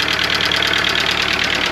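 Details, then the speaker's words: Audi A2 1.4 (AUA) petrol engine, bought with engine damage, idling after hydraulic lifter replacement: still a loud, rapid metallic clatter of about a dozen taps a second; the owner suspects piston slap or a worn-out engine, not confirmed. "aber hört mal, da ist es hört sich immer noch sehr laut an, ne? Glaube der Motor ist einfach hinüber."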